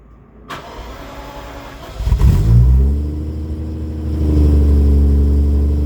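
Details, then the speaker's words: 1989 Jaguar XJS V12 coupe after rear gearbox mount repair and straight-through stainless rear mid pipes: starts after brief crank, smooth even idle, clean even revs; healthy start and rev. "This is first gear. Yes, that sound up at 4,000-5,000 is exactly what I wanted it to sound like. That's brilliant."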